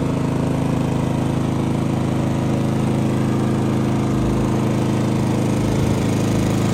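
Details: Genmax GM7500 iAED dual-fuel inverter generator on low idle, right side at about 10 ft, 66–68 dB; run 9.5 hours without issues. Steady, constant low hum, no knocks, surging or hunting; normal idle.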